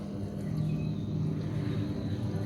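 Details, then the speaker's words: Washing machine dryer (spin) motor with weak rotation and burnt smell, water level sensor first suspected: low steady electrical hum and vibration but no spin-up; motor stalled. "Dia enggak berputar ya gitu. Iya. Dia ada getaran tapi enggak jalan tuh. Enggak mampu jalan ya kan motornya enggak mampu jalan."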